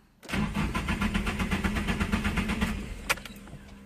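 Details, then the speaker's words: Nissan 240SX S13 SR20DET turbo after oil change, coil packs unplugged, second priming crank: about three seconds of even cranking, roughly four pulses a second, stopping without firing so oil pressure reaches the turbo before start. "so the oil pressure and the oil reaches your turbo so you don't start it up with no oil in your turbo and I'll do that right now I'll crank it over for about five seconds do one more time"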